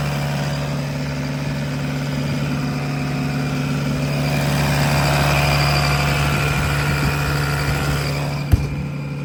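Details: 2011 Bobcat E80 midsize excavator diesel, throttle turned up, heard from outside in cold weather: steady, even drone, no knocks or misses, smooth; running well, normal.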